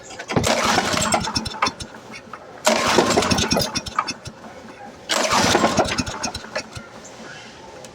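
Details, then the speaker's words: Used Troy-Bilt chipper/lawn vacuum, freshly fuelled, tried with and without throttle: three pull-cord attempts, each a brief rattly cranking burst that dies away without catching. A no-start. "Okay so as you see it's not starting then turn it off"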